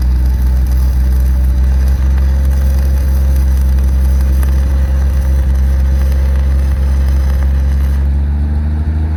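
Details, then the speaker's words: Lincoln SAE 300 welder, Chevy inline-six, after ignition circuit repair: steady, even engine drone holding speed with no misses or surging under welding load; idles down smoothly, runs healthy. "I'm really happy that I was able to get it running and Welding it's welding really good and it actually idled down to a pretty smooth idle so perfect running great"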